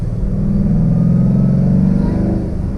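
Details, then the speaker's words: 2012 Mustang Boss 302, MT-82 manual with MGW shift kit, while driving: steady engine drone with faint even whine riding on top; gearbox shifts fine, but MT-82s are known to whine. "the whiny mt-82 the previous owner put an mgw shift kit in here and thank god because this thing shifts like butter but man that wine is super annoying"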